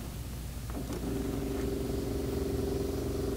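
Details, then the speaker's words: 1984 Nissan Bushmaster conversion pickup: brief contact click, then a steady low electric hum of the rear fuel pump running normally when its blue wire, hardwired straight from the battery, touches positive. "can hear it back there pumping away, pumping fuel."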